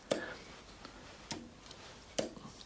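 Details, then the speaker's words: Lotus Elan +2 engine out on a stand, sump removed: checking crankshaft end float, about 0.12 mm. Three sharp light clicks about a second apart as the crank shifts; owner thought the play seemed a lot, but imagines it is probably okay. "i'll imagine that's probably okay but it just seems a lot you know it's moving you can hear the click"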